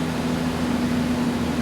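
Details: 2002 Ford Ranger, taken in for a transmission rebuild (won't go into reverse), finally started after no-start diagnosis: steady even low hum with no knocks, misses or surges; smooth healthy normal idle.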